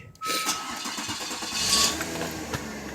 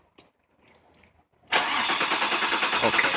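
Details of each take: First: 2000 Mazda Millenia with a crank-no-start complaint, in freezing weather: with the fuel pump relay jumped, a brief crank and then it catches into a smooth, even idle. The fault traced to the computer's ground to the relay. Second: 2000 Mazda Millenia in for crank-no-start: quiet, then steady fast cranking about three turns a second that never catches; injector pulse present.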